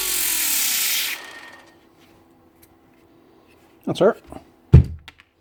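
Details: Makita BO5031 5-inch Velcro sander after replacing worn-out brushes (it wouldn't switch on before): steady high whirr for about a second, then even spin-down and handling clunks; motor running normally after repair.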